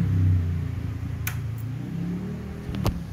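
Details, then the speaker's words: 2005 Honda CBR, over 13 years old and original: smooth low engine rumble swelling slightly with a throttle blip, no ticking or knocking, engine runs clean. "Terus suaranya mesinnya halus banget."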